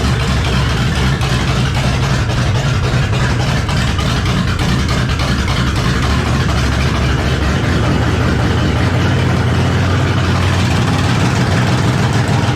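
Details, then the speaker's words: Oldsmobile turbo DX engine at its first startup, barely throttled and untuned on a Holley base fuel map with AFR reading in the 30s. A very loud, deep, steady roar with a coarse rumble that is excessively loud; more compression than expected is suspected. "i mean it sounds like whatever it sounds like it shouldn't be that loud i think it's probably more compression than we're giving it credit for"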